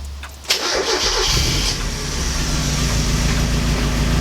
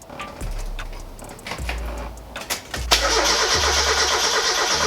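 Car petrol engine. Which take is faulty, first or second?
second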